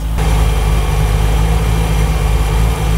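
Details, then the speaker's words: Rover V8 3.9 L after distributor replacement, idle raised from about 300 to about 800 rpm and timing set near 5 degrees by strobe, vacuum hose reconnected: deep, smooth, even V8 idle with no misses or knocks. "there we go that sounds pretty good"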